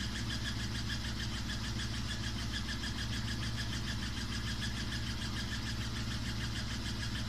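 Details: Samsung WW5300 washing machine (WW95T534CAE), outlet unit on its second use, loud from the beginning; steady low hum with fast pulsing beat throughout run; abnormally loud running noise.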